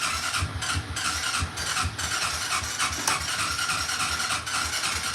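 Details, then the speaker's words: ATV with aftermarket carburetor and new choke cable, cold, fuel valve accidentally left off: ragged, irregular sputters that never catch into a steady run as the engine starves and dies. "Maybe I have the fuel off. Okay, yeah. I do have the fuel off. I forgot I turned it off."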